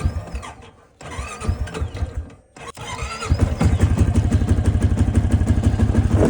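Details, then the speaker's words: 2008 Honda TRX700XX ATV started in very cold weather and put in first gear: revs hang high and the machine creeps without pulling, so the clutch is slipping; the owner wonders whether the clutch is engaging the one-way bearing. "okay so do have an issue when it's very cold out put it first it almost like it's almost like it wants to creep ahead I wonder if that clutch is like engaging the oneway bearing maybe and it's definitely slipping"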